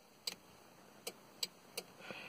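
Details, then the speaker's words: 2001 Toyota Corolla cabin with OEM fog light switch retrofit: four crisp relay clicks when the fog ring is turned, showing the circuit has power though the fog lights are not yet installed. "the fog lights still light out right now but you can hear the relight clicking so that means there's power to it"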